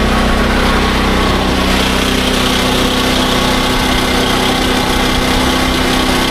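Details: SDMO 5000W generator with a Briggs & Stratton engine (about 18 hp), after restoration, load test with about a 1500 W heater and a light: steady, slightly strained drone with no surging or stumbling; normal under load.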